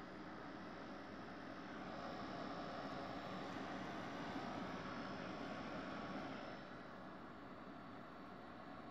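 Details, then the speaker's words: Desktop PC that beeped and wouldn't boot after being bumped, after cleaning and reseating memory: soft steady fan rush with no beeps, booting normally to Windows. "so far so good no beeping sound okay i got something on the screen there"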